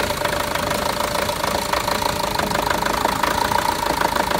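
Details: Renault Master diesel with fault DF065 misfire, after four new injectors were fitted, idles with a tapping, uneven mid-range clatter and a lumpy beat. The misfire's cause is still unknown.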